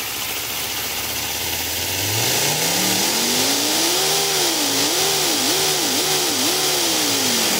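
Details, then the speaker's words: 3D-printed compressed-air V10 engine with F1-style crank angles and two connected intake manifolds: revs climb quickly then hang and hunt with heavy hissing; many air leaks and poor build quality limit it to just over 5,000 RPM. "the engine sounds quite impressive but due to a lot of leaks and poor build quality it only R to a little bit over 5,000 RPM"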